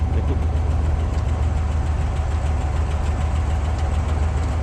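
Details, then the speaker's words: 1972 Cadillac Sedan DeVille, free car, started quickly: deep even idle with a light rhythmic clatter about three a second; stuck lifter or valve suspected, otherwise running smooth; ticking at idle. "Chris is saying it sounds like it has a stuck lifter or a valve. The engine, other than making a little bit of a clatter, is running as smooth as possible."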